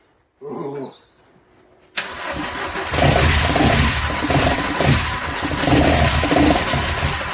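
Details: Nova fitted with a C20XE redtop engine on individual throttle bodies (ITB), first start after the swap with the fuel pump relay bridged. Brief crank, then it catches and settles into a steady, even run with a few light blips. Normal start and idle, sounds healthy.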